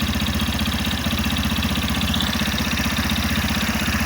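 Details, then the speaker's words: Warm idle on a 2025 Yamaha FZ15 single-cylinder motorcycle with 746 km and about six months of use: a steady light tick, about three per second, over the exhaust beat. It gets worse as the engine heats, and the owner suspects the valves. "Tá com um toque toque no motor muito estranho, velho. Não sei se é normal."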